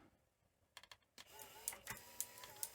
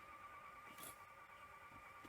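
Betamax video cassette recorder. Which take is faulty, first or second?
second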